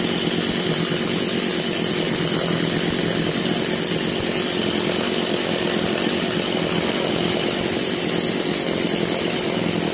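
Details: Echo CS330T top-handle chainsaw, choke half pulled back for high idle, not yet tuned: steady high-pitched two-stroke buzz at an even fast idle with no misses or surging; running healthy.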